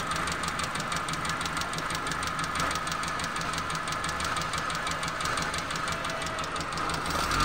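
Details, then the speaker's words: 2006 Suzuki Alto carbureted petrol engine that dies when throttle released: quick, even ticking about five times a second over idle from tappets; two tappets found loose, valve clearance set and retorqued, carburetor also cleaned. "Tappet की आवाज़ करते थे, तो हम इनकी tappet की भी आते आते सेटिंग करवा लेते हैं।"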